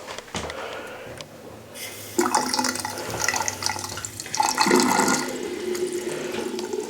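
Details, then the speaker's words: House with galvanized supply lines in the walls, after flushing lines to restore pressure: strong steady rush of water from the vanity faucet with splashing, no sputtering or air bursts; flow much better than before. "okay so that's a lot better than what it was"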